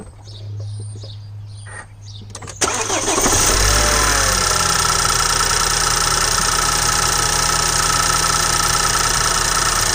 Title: Bmw n20 engine knock 2